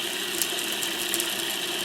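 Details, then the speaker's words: Monroe LA-5 motorized mechanical calculator, first power-up in decades after oiling: steady high buzzing whir with fine crackling as the motor spins up to speed; sparking probably from the governor, considered typical. "I hear the sparking of probably the governor, which is kind of typical. Seems like it's speeding up a bit there."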